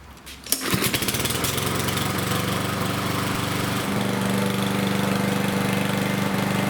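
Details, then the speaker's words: Yard Machines lawnmower with Power Mower engine after replacing an oil-soaked air filter: pulls over, catches at once and holds a steady, even single-cylinder beat, no surging or stumbling; runs properly again, no longer rich. "as you saw in the video guys sometimes it can be as easy as replacing the air filter in your lawnmower to get it running properly again"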